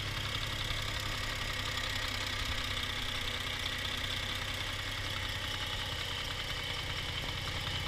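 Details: Toyota 1G-FE (Altezza / Lexus IS200/IS300), fully warmed, hot idle: light, fast, slightly uneven tapping, about two to three per second, from the front under the timing cover. Absent cold; owner suspects the VVT clutch, unconfirmed.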